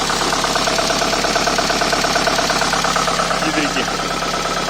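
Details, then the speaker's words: Opel Astra at cold idle: steady knock about twice a second above the engine hum; source not found, possibly quieter once warm; cause suspected, not confirmed. "производим запуск Opel Давай Запускай Ой что стучит вопрос распрет или"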